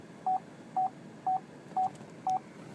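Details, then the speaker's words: 2012 Chevrolet Traverse AWD LT with ultrasonic rear park assist, reversing: six short mid-pitched beeps, two a second, over quiet cabin hum as the rear parking sensor warns of a close obstacle after being reset and calibrated; normal operation. "you can see how close I am to it that's the parking sensor there"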